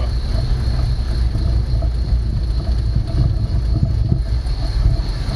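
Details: 1965 Ford Mustang after the ignition fix, fired right up, idling before the timing is set (aiming for about 28–30° at 2000 rpm) and the vacuum advance is hooked up: deep, steady rumble with even firing, no knocks or misses; normal idle.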